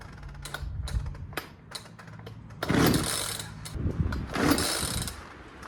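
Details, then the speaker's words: Poulan 2150LX chainsaw that will not start; ratchety rasping on each pull and uneven clatter as the cord winds back without retracting fully, from a worn recoil starter spring. "And if you paid attention to the sound it was making, as I was pulling and then it would retract, you can hear the recoil spring making some kind of funky noise and it wouldn't retract all the way."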